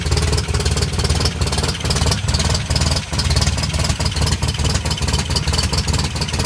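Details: 1984 Toyota Pickup 4x4, 22R engine in 22RE conversion with no knock sensor fitted: loud, throaty running with an uneven pulsing beat and heavy low rumble; noisy, no clear knock or cause.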